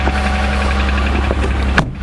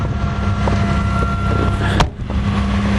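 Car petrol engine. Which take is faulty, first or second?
first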